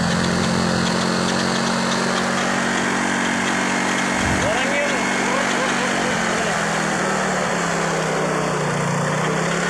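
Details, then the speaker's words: Old carbureted Yamaha Mio Soul at idle with a faint, even whine over the engine note, a small final-drive gearbox noise; a bearing is suspected, and the CVT pulley shaft was found slightly loose. "tetapi komponen gearbox sudah ada yang bermasalah Apakah itu bearing tapi analisa saya mengatakan adalah pada bagian bearing ya suara kecil seperti ini"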